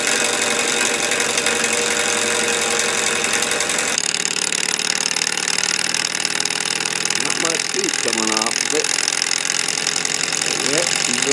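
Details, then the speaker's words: Candle-heated walking-beam Stirling (hot-air) engine driving a 3D-printed gearbox, running warm: fast rattly clatter every stroke; loose bearings on the vertical rod blamed, linkages to be reworked. "i have bearings on this vertical rod that are loose um one of the things about the sterling engine was the whisper quiet this one's quite loud noise is inefficiency"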